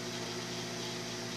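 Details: Microwave oven after repair heating water for one minute: a quiet, steady mains hum with an even buzz. The fault had been a blown fuse; the magnetron itself was fine. Normal operation.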